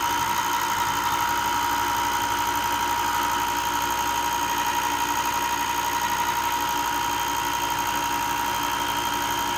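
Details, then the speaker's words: Ryobi 4x36 bench top sander after replacing burnt bearing (previously loud clicking): steady even motor hum with constant high whine and no clicking or rumble; normal running after repair. "Okay, it seems to have fixed it."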